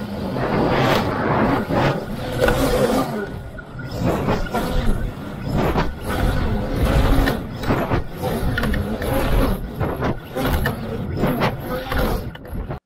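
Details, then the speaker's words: HEQ Swan K1 Pro VTOL flying wing in flight on return from a range test, recorded on an onboard DJI Osmo Action: irregular plastic knocks over wind and motor roar, suspected motor tearing from its mount and broken prop flailing. "you can hear some knocking sounds as if something is banging into plastic which i assume was the motor coming out of the mount and the prop breaking as it starts swinging around banging into stuff"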